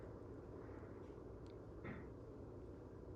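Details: Air purifier fan on its lowest speed setting: a soft, steady whoosh that is barely audible, with no rattle or whine. Normal fan operation.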